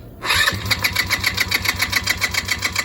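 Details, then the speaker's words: Chinese ATV, after draining gas and oil and adding 0.8 quart, key on: fast even starter whir, high whine, steady compression pulses, never catches; carburetor flooding fuel into the cylinder, riveted float bowl. "Come on, girl. Well, carburetor's flooding. There's not even a carburetor on there right now. That's how much is in the cylinder."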